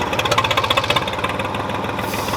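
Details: Old Ford diesel tractor, unidentified model, running after sitting about 10 years with an overfull crankcase. Loud diesel clatter at about ten uneven beats per second, some firings softer; rough idle, possibly weak cylinders.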